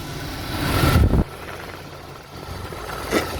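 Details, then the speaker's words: Car alternator heard up close at idle: only a soft, even whir and faint steady hiss, no popping; this hissing is normal, while a popping sound would indicate a fault. "这个手要很小心，就是有那种沙沙沙沙沙那个声音是正常，但是你如果说有啪啪啪啪，那个就不 OK 啦"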